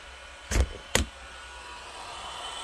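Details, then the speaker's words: Amstrad 5086 desktop PC hard drive: two sharp clicks about half a second apart over a faint steady hum; the drive is clicking away and may be failing. "this hard drive sounds like it's clicking away so it's possible that the hard drive is failing"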